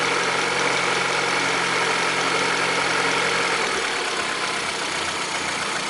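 Engine held at revs with a fast, fairly regular knocking riding over the hiss and roar: an engine knock, source not identified.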